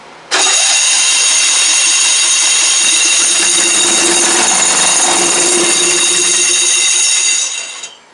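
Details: Old Craftsman "Squarebody" riding mower, believed 1991, revival attempt with fuel poured through the carb, air filter off: starter whirs steadily about seven seconds and the engine never catches; cranks but no start.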